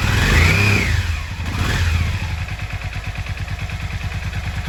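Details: Yamaha XV 535 Virago barn find, first start after about 10 years standing (since October 2013), 12 V fed directly to the starter: the starter whirs briefly, then the engine settles into a steady, even low thump of about four beats a second. Normal start and idle.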